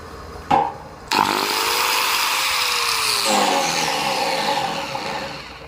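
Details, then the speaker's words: Angle grinder running: rough, wavering drone with sudden speed sag, losing power and switching on only intermittently; carbon brushes worn nearly out. "เนี่ยนะครับถ้าเกิดว่าหินเกียร์ของใครมีปัญหาแบบนี้นะครับมีเสียงดังแปลกๆนะครับบอดๆหรือว่าเปิดสวิตช์ติดบ้างไม่ติดบ้างนะครับหรือว่าใช้งานไปแล้วแรงเครื่องตกนะครับ"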